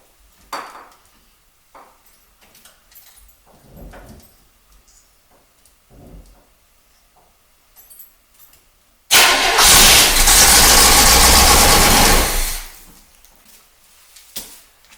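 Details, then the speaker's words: Barn-find 1977 Corvette, start attempt on starting fluid sprayed into the carburetor, fuel lines cut: the engine roars for about three seconds and dies; the fuel pump, suspected bad, actually works and dumped gas over the engine. "do you guys see that it ran I was incorrect about one thing though it looks like the fuel pump actually does work cuz it dumped all sorts of gas all over the engine"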